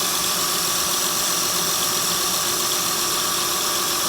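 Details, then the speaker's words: 2008 Honda Pilot after timing belt and water pump work, with timing set correctly and parts sealed with silicone: steady, even idle with smooth hiss and no ticking or knocking. "Okay, so now everything is just stuck together. No noise. Sounds so good. Silicone, everything functioning."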